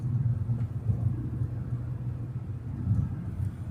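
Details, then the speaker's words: 1989 Toyota Cressida revived after sitting for years, cruising at 60 mph at about 2,300 rpm; low, even drone with road rumble, engine running smooth and healthy. "Yeah, this thing is just smooth. We got it going, well, we're doing 60 at about 2,300 RPMs, 2,300."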